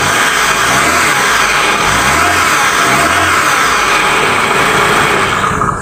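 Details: Honda City with 3A engine that would not start because no spark reached the plugs from the distributor; after the ignition wiring was checked and plug leads refitted in cylinder order 1-2-3-4, engine catches, runs and revs up properly.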